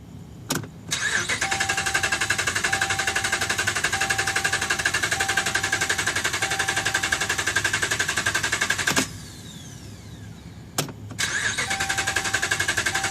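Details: 2011 Dodge Ram, about 75K miles: starter cranks steadily about four beats a second over several tries, engine never catches; crank no start, dealer found defective TIPM (Totally Integrated Power Module), replaced under warranty.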